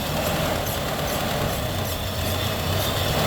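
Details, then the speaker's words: 2002 Ford Ranger 2.3 L 16-valve, 76,000 miles, bad fuel pump, started by spraying into the intake: smooth, even idle, steady low rumble, no knocks or misses, briefly running on its own before shutting off. "okay all right the motor sounds good you see now it's running on its own"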